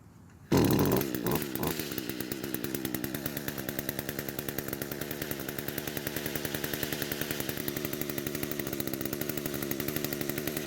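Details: Echo two-stroke trimmer after replacing the carburetor diaphragm to cure weak fuel flow: fires up quickly and settles into a steady, even buzz with no surging or stumbling, running properly.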